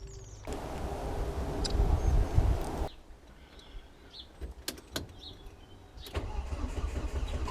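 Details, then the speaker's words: Volvo S40 with Holset HX40 turbo on new Speeduino ECU: starter churns about two seconds, then again, never catches; ECU reads no engine speed, fuel smelled; crank sensor polarity thought to be the wrong way, timing out. "i think i actually had the crank sensor polarity the wrong way so uh timing was out somewhat"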